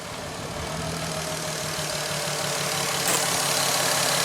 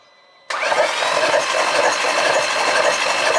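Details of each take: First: VW Golf R32 non-runner whose cylinders six and five were found wet; leaking injectors are suspected. Restarted with sensors and fuel pump reconnected, it gives a rough, strained, weak idle with a regular pulse about four per second and a hoarse exhaust. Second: Mk5 VW Golf R32, under 50,000 miles, non-runner, cranking with fuel pump disconnected: even free cranking about four beats a second, no metallic clatter, no sign of valves hitting pistons.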